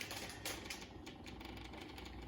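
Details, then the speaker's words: John Deere 2038r after fuel filter service, key on, priming: rapid, even ticking from the electric fuel pump, normal once the filters are full of fuel; the tractor then started. "turn the key back let it run through a cycle again hear that fuel pump clicking"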